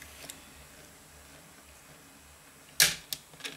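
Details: Grundig RR3600 valve cassette radio after tape-transport repair with lapped 3D-printed gears: quiet running, then one sharp clack and a couple of small clicks as the mechanism drops out; auto-stop now works properly.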